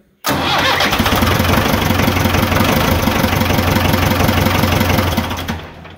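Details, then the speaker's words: Ford 555D backhoe diesel just after installing a rebuilt fuel injection pump: catches almost instantly and settles into an even, steady clatter with no misses, then winds down; never started that easily before. "hey I think that's good it works it never started that easy before"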